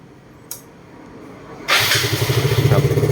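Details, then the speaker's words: Yamaha Fino scooter with hard starting and stalling when throttle released, after repair restored compression: quiet click, immediate start without throttle, settling into quick steady single-cylinder putter; normal idle. "ครับคราวนี้เราก็ไม่ต้องบิดค้าเร่งเวลาสตาร์ทนะครับเพราะว่าเครื่องยนต์กลับมามีกำลังอัดเหมือนเดิมนะครับผม"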